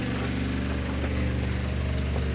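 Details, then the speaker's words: 1986 Toyota Sunrader motorhome water pump after PEX leak repair, building pressure until it stops: steady low buzzing hum, running evenly; sounds healthy. "got the pump on one tryy the water not yet it's got to pressurize first oh there it goes though but it's got to pressurize until yeah it stops"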